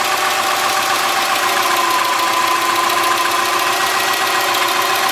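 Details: 2003 Subaru Forester, 178k miles, ~150 miles after head repair for a dropped valve guide, cold start. Light, fast ticking at three to four per second from the driver side over a steady idle: the front-cylinder exhaust valve clearance was .029 instead of about .010. Adjusting it removed the noise.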